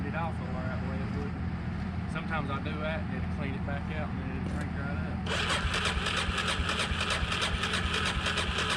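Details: Suzuki DRZ single that won't start: steady cranking churn at roughly three beats a second that never catches; turning over but not firing, cause not confirmed.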